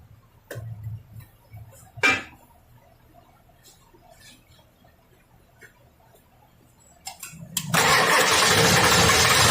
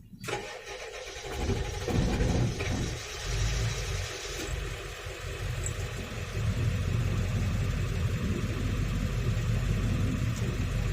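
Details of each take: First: Ford 7.3L diesel with a P1211 code, which previously ran 4–5 seconds, lacked power and stalled with low fuel pressure, now after repair work and an oil change: cranks briefly, catches firmly and runs strong and even; starting much better. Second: Ford 7.3L diesel with code P1211, with pressure bleeding off when shut down: cranks, catches and settles to a slightly uneven idle with a low knocking pulse. Runs a little smoother than before; fault suspected, not confirmed.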